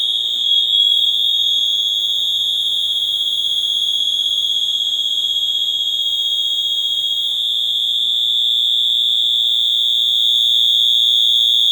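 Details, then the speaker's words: Silent Knight 5820XL fire alarm test after a pull station: two piercing high-pitched horns blare together in a fast steady pulse, about four a second, a terrible combined noise; the notification devices are working. "so there they are as you can hear they uh the two of them paired together make a terrible noise"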